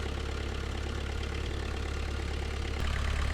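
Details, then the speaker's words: New Holland LS170 skid steer diesel idling after an oil, oil filter, fuel filter and air filter service: an even, steady idle with a smooth low rumble and no knocks or misses; it sounds healthy, with no leaks found. "Okay, we're gonna let this machine idle for a minute, and then we'll recheck the dipstick after I let it down on the blocks and get it onto level ground."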